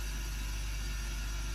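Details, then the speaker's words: Gaahleri Apex Force ultra silent compressor switched on for the first time with empty tanks, reaching 30 psi quickly: low steady hum with soft fan noise and no knocks or rattles. Noise expected to rise with pressure. Normal running. "That is so quiet. Obviously the noise will increase as the pressure increases"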